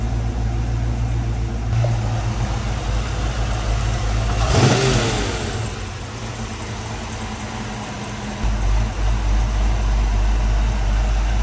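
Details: 1995 Ford Mustang GT 302 V8 with Flowmaster exhaust after oil change and spark plugs: steady, even idle, deep rumble, one brief throttle blip; earlier misfire-like stumble gone, injectors also suspected.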